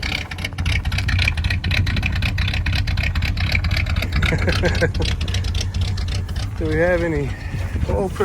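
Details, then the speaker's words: 1985 Chevrolet C10 with a 305 V8, sitting for 10 years, started on gas poured down the carburetor (no accelerator pump); it fires right up and holds a low, steady, even idle with no knocks or misses. "so give her a couple of pumps no accelerator pump by the way F right up in idles look at that"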